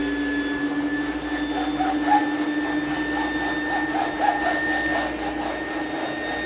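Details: Small "mini vac" vacuum running with steady high motor whine, faint rushing hiss and little airflow sound; suction weak, possibly from a clogged filter.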